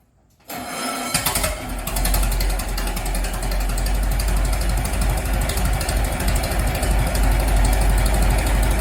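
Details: Restored 1921 American LaFrance fire engine fired up after its finished restoration: it catches at once and settles into a steady, even low four-cylinder chuff at idle, with no knocks or misses; it is healthy.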